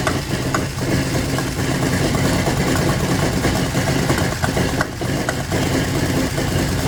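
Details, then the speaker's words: Willys CJ2A with a V6 taken from a 1967 CJ5, first start after the swap: a rough, busy idle with sharp backfire pops every second or so, and smoke. The cause of the backfiring is not yet known. "Runs. It sounds good, too. Wonder why we got backfiring going on."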